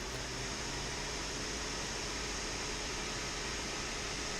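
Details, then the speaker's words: Dyson AM07 fan after disassembly and cleaning: smooth steady airflow hiss, even tone, no rubbing, rattling or bearing growl; noise owner suspected was a bearing was dirt, now gone. "vous avez pu l'entendre le bruit est parti ce qui veut dire que c'était sûrement aidé son nettoyage"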